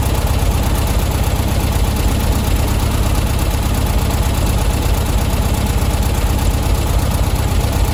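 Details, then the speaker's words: Old VW Beetle carb tune-up, mixture screw being unscrewed to find smoothest point: low, uneven idle that falters as if ready to stall, so screw is turned back in; rough idle from incorrect mixture setting. "starting to die again now so straight back in a bit i'm just trying to find the smoothest bit really"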